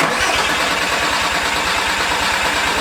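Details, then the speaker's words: Porsche 944 swapped with a turbo 07K 5-cylinder, first start after the build, no coolant yet and oil at about minimum; steady starter cranking with no firing to prime oil pressure. "Cranking for a little bit. Should we add some more oil? Is it low?"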